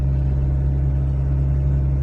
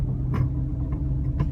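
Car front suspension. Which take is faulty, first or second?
second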